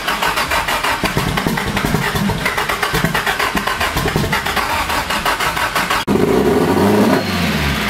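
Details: Nissan SR20DET first start after 1.5 years standing; start map and ignition timing known to be set wrong. Freshly fired engine chugs with uneven pulses, surging rather than settling; rough running.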